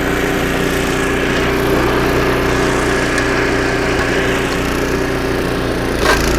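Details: Snowblower about 25 years old, single-cylinder engine after carburetor rebuild with carb kit and new needle and seat, chewing through snow: steady even drone, no misses or surging; normal running under load after repair.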